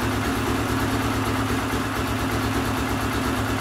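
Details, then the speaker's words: Air-cooled ~149–150cc single with a lumpy, hunting rough idle while cold, possibly lean. Fine after running a while, but bogs slightly when warm; dealer points to an adjustment screw under the carb bowl. "So that doesn't sound like a very good idle there, but once you run it for a while, it's fine. It's really strange."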